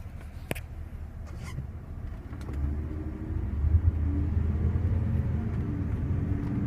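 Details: 2005 Cadillac SRX 3.6 V6: low droning hum growing louder as speed rises; owner attributes it to wheel bearing noise; wheel bearing hum.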